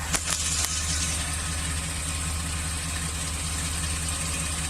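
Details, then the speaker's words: Chevy Express V8, number 1 cylinder walls scored and leaking compression, after in-cylinder ring-freeing additive treatment: steady, even idle with no stumbles or skips; smooth idle. "it's hard to see from here but this is smooth it's always been smooth"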